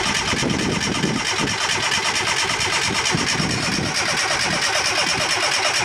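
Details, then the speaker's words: Fiat Panda 4x4 project converted from carburettor to injection: steady starter churning about two beats a second with no firing, cranks but won't start; owner concludes there is some problem with the injectors. "no it looks like it ain't gonna run uh so obviously there's some problem with the injectors now"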